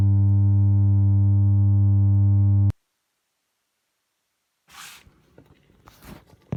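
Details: 1967 Elka Panther 100 germanium transistor organ, with no sound from the keys: steady, loud, low hum for about 2.5 s, then cut off. Owner suspects the large power-amplifier capacitors, one heard bubbling and leaking electrolyte. Mains hum.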